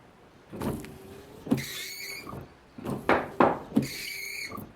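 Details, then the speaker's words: Windshield wipers after straightening the bent wiper arm: even swishing strokes with no juddering chatter, before water is added. "Agora eu vou acionar o limpador e vocês vão ver agora aqui se o ruído vai continuar, esse ruído de trepidação, ou ele desaparece."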